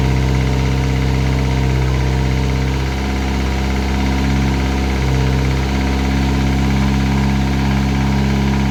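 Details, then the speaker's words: Classic Mini turbo on its first start: a loud, deep idle with an uneven knock a little over twice a second, felt at the rocker cover. This is engine knock; it was said to sound almost like a big end, but that is unconfirmed. "can you hear it Knocking a little bit front sounds almost like a big end gone"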